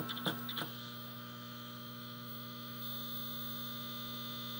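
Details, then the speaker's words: Sea Wolf arcade cabinet at power-on: loud steady low buzz through the speaker, mains hum believed from the fluorescent black-light ballast transformer, likely original and possibly failing. "But it is making a horrendous noise for the speaker. And I think it's that transformer right there is the transformer. And I think that transformer might be going bad, but it's probably original."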